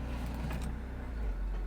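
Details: Used convertible at auction, about 150,000 miles, at start-up: steady, even low rumble at idle with no knocks or misses; engine sounds healthy and smooth.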